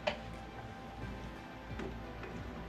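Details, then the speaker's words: Mastercool MCP44 evaporative cooler digital control board plugged into the wall with nothing connected: sharp, irregular relay clicks every second or so while the green light flickers; faulty control board. "it into the wall and if you see I don't know if you can see the green light is just bouncing around and you can hear clicking there's a clicking that's telling you that this is faulty"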